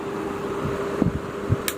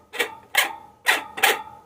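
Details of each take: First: Table fan after repair and oiling, running on speed settings: only a low, steady motor hum with a couple of faint light clicks, no rattle or grinding; the fan runs quietly and normally. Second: Table fan motor shaft turned by hand gives four loose knocking clicks about half a second apart; the shaft wobbles loosely, so the motor shaft bush is badly worn.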